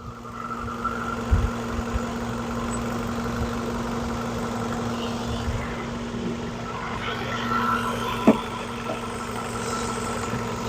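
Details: 2011 Ford Focus after thermostat replacement, engine hot, gauge about halfway: even steady idle, no misses or knocks, a few handling clanks; earlier idle problems fixed, normal warm idle.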